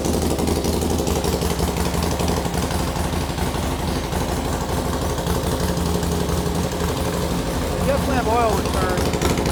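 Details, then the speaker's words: Harley Sportster with S&S Super E carb on first start after rebuild, valves adjusted and carb set per S&S handbook: loose, lumpy potato-potato idle with uneven low thump and steady exhaust beat; fresh engine idling fine. "Oops. Sounds good."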